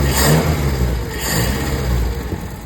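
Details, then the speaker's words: Toyota KE20 carbureted petrol engine started with carburetor air filter removed: revs up then settles to steady, even running without knocks or misses; owner suspects earlier trouble was an air filter not seated after refuelling. "सही चल रहा है।"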